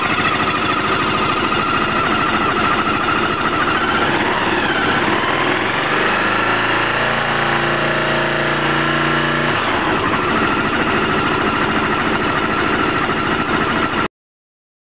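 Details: Peugeot Jetforce 125 scooter at idle with a busy rattling tick that persists as revs dip and recover; abnormal engine noise, source not yet found.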